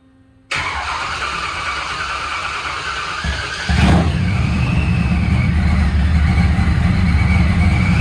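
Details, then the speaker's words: Boosted small-block Chevy S10, running 10–15 minutes on a 98°F day. It cranks, catches cleanly and settles into a steady, even idle with no knocking; sounds healthy. "Alive. Been running for about 10, probably 15 minutes now. Sounds healthy."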